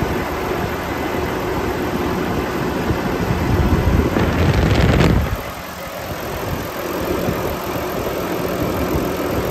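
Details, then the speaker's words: 2018 Volvo VNL630 truck, D13 engine with iShift, fully warm at 170°, at raised fast idle with oil filler cap off; even, steady diesel rumble with no puffing or misses, no blow-by, healthy engine. "I'm going to take off the oil filler cap show you the engine running and show you that there's no blow by on this engine it's in perfect running condition"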